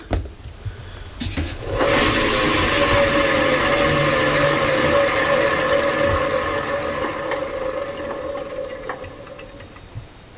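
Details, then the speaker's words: 2005 German-made Kenmore Elite front-load washer, drum spun by hand: dry, rushing grind with a faint ring fading as it coasts. Top wiggles loose, with clicking and leaking; worn drum bearing. "this whole top Wiggles it's loose and when I spin it"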